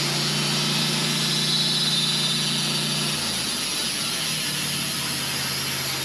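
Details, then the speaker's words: Sawmill engine (LT15wide) cutting a 27-inch-wide black walnut Y log with a carbide blade: steady hum drops in pitch as the blade bites and the engine bogs under load; carbide blades take more horsepower. "I can tell you for sure carbide blades take more horsepower because you could hear that engine bogging down, going slow through this."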